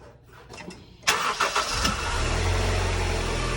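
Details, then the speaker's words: 2000 Honda CR-V four-cylinder just after replacing the spark plugs: a quick crank catches cleanly at about one second, then settles into a steady, even idle with no misses or ticking. A healthy start. "But for you guys, I'm gonna turn it on so you see, you shouldn't hear any, right? You should just hear the normal turn on."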